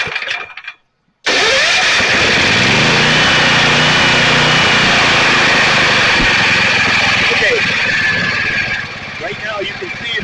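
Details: Restored Generac 7000 EXL generator, tilted for fuel: after a short silence it catches at once and settles into a strong, even run with no misses or knocks; healthy running after repair.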